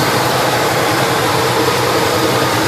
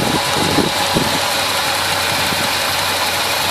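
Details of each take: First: 1971 Chevelle 350 V8 with shelf-stored, partly repaired parts: lumpy idle with a steady chuff dropping a beat; number one cylinder dead with a wet plug and zero compression, its valves held open by overtightened rockers. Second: 1971 Chevelle 350 V8 after fixing a misfire (wet number-one plug, carburetor parts swapped, readjusted): steady, even idle rumble with no stumble or skipped beats, under plenty of airy hiss.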